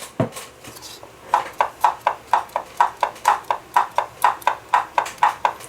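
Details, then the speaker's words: Brastemp/Consul washing machine agitation mechanism rocked back and forth by hand at the pulley, machine upright: light, crisp knocks about twice a second; normal pulley knock, not a dry gearbox. "esse barulho é normal tá esse barulho aqui é o barulho da polia batendo"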